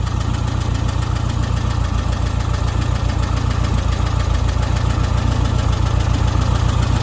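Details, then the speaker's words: Old VW Beetle after ignition timing and carb tune-up: smooth, even idle around 850 rpm, up from a low 750, steady beat with no knocks or misses; normal idle. "idol's quite good though 850 is about where you want it to be so pretty happy with that"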